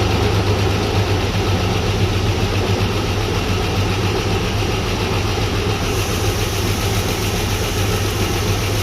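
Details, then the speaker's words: Chevy S-10 donor engine with bad spider injector, first run after timing check, plugs and wires fitted: slightly uneven loping idle, no clear tick; oil pressure low, fuel possibly in oil, owner suspects a lifter not pumping up. "It's got oil pressure, but it's not great."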